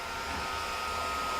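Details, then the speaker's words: Amiga 2000 in a PC tower case, first power-up after cleaning: constant airy whir with a thin steady high whistle from the small fan under the accelerator module; failing cooling fan. "The fan noise that I was getting, I can show that. That is actually coming from the accelerator module, and I totally forgot that actually features a fan, and the fan is under here, and this f"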